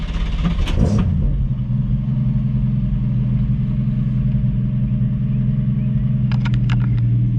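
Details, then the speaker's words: Restomodded 1965 Mustang coupe with a stalling-at-idle problem (owner suspects the carburetor): deep, steady, even idle rumble with no misses, knocks or hunting before driving it home. "got her idling so we're just gonna hop in and send it and see if we can't get home"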